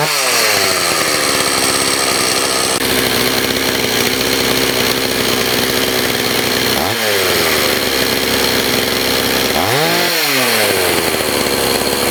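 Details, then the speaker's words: Stihl 026 chainsaw that sat about 10 years, choked and started despite poor compression after a carburetor adjustment. It screams at high revs with a harsh rattly edge and sudden rev drops from a scored piston and cylinder. "It's not that great, but you do hear some noise. I'm going to choke it right up. And it's making a weird noise too."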